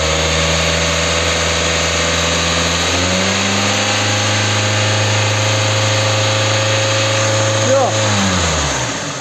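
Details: Kia K5 after replacing knocking connecting rod bearings without engine teardown. Revved smoothly to about 4000 rpm with the hood open, it holds steady and settles back with no knock or rattle: normal revving.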